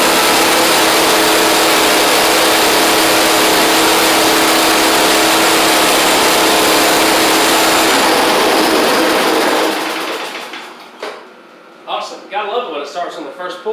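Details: Snowblower, unused about 5 years, stored dry, run outdoors near 25–30°F in central NC: loud, steady, even engine roar holding speed nine seconds then shut off; running smoothly and healthy.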